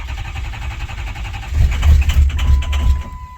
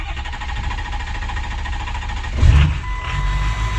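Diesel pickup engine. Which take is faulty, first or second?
first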